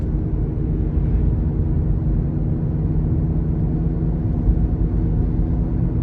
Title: Droning Noise